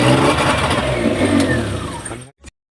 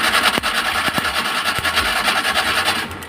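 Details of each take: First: Maruti Omni after fixing the spark plug cables: starts on the first crank and revs cleanly with even firing, no misses; running healthy, no-start fixed. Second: Maruti Omni cranking but not starting: rapid, even cranking, no firing; fuel reaching engine, but spark very weak at the plug wires, ignition/spark plug cables found faulty.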